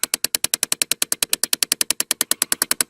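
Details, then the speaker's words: 2012 Chevy Impala 3.6 V6, heat only on driver side: plugging in the previously unplugged blend door actuator behind the glove box gives steady rapid clicking about nine per second; faulty skipping actuator. "there was power on there so no reason why the blender actually shouldn't worked so as soon as I plugged in click lick lick lick lick lick lick"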